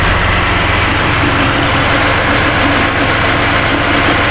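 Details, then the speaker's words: Chevy Impala, sat about two years, running after a body control module was fitted: loud idle with a slightly uneven, lumpy beat, shaking; live data showed cylinder 5 misfiring, and a fuel smell was noticed. "yeah sounds like we definitely got Miss he's a missp but again it's been sitting for a couple years got the shakes"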